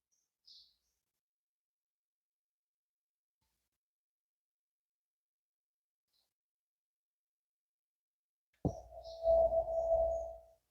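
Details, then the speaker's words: Brastemp CRM 56 refrigerator that stopped cooling, powered up to test: long silence, then about two seconds of steady mid-pitched hum with low buzz that cuts out as the overload trips; compressor not running, seized or damaged. "Então, o compressor está fazendo esse barulho."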